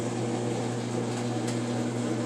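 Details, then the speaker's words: Frigidaire washing machine drain test after removing a sock from the pump intake and cleaning dirty electrical connectors: steady, even low drain-pump hum with no rattle, surging or grinding as water empties; normal draining. "Here's the test. It's draining."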